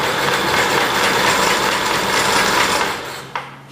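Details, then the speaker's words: Kohler K181 single-cylinder engine cranked on the starter with no spark seen. It chugs steadily but unevenly for a few seconds, never fires, then winds down. Suspected bad coil or bad or misadjusted points. "okay i don't see spark so we've got one of three problems going on it could be our our coil is bad the points are not aligned right or the points are bad or not adjusted"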